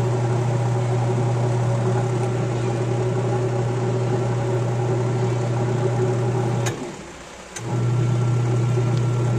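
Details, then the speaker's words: Micromatic single-tub washing machine after replacing faulty timer with junk-shop timer (common wire identified, capacitor wiring): steady low motor hum, brief pause, then runs the other way; agitating and reversing normally. "Ayan, umaandar na po siya. Nagre-reverse na."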